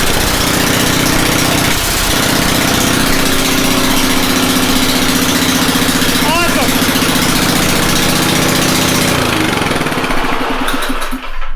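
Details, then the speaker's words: Snowblower with a previous no-start, cold, on full choke in a closed garage: it catches and settles into a steady, even run with no misses, surging or knocking. It is back in working condition. "there we go from no start condition to fires right up little bit of ballet to get that moving but looks like it's back in working condition that's great"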